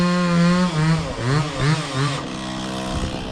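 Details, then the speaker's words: Stihl 026 chainsaw cutting large pecan on Royal Purple 40:1 fuel: screams at high revs, then briefly bogs when throttle is hit before responding; owner asks whether it is tuned right. "a dog being down just a little bit, hit the throttle and not respond. It responds pretty quick, but it's just dogs for a little bit."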